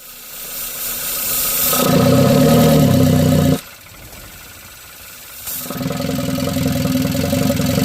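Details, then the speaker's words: Kia Rio with massive power loss, P0420: even in neutral won't rev above 2,000 rpm, deep strained sound, shudders and revs fall back; clogged catalytic converter found as cause. "I couldn't get it to rev above 2,000 RPM. It'd be like, make a real deep sound, and it would start like shuddering, and then the RPMs would drop back down."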